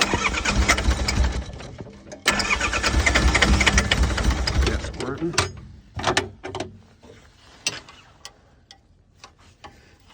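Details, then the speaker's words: Diesel mini excavator after running out of fuel and fuel filter change: cranks and stumbles a few seconds, then dies to scattered clicks; won't keep running with air in the fuel lines. "get that air out it won't run with air in the lines"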